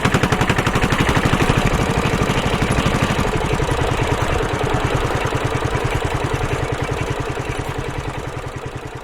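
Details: Suzuki Savage 650 single-cylinder accelerating at low rpm in too high a gear: hard, jerky thumping knocks about two per second under load, the engine lugging and snatching.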